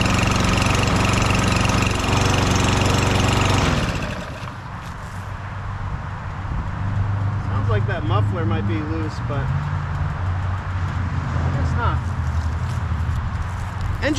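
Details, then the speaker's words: Lawn mower (engine swapped) at low governed speed: a single-cylinder engine runs at a slow, lazy beat that sags and recovers. Fixed by bending the governor tab toward the front of the machine for a higher speed. "speed is a little low I'm going to try to adjust that now see this tab right here this long post if you bend that towards the front of the machine they'll give you a higher engine speed"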